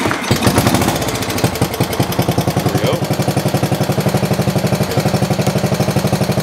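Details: Older MTD riding mower being readied for a new owner, after fitting a lighted switch: cranks, catches within a second, settles into an even thumping idle about four beats a second; runs healthy.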